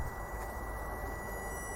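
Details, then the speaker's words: Common-rail pressure control valve of a 2.0 diesel engine, checked for code P0088 (rail pressure too high) and driven from a bench power supply: a thin, steady high whine over a low hum shows the coil is working as an electromagnet. "no i przy tej regulacji słychać że ta cewka piszczy czyli wiemy że on działa"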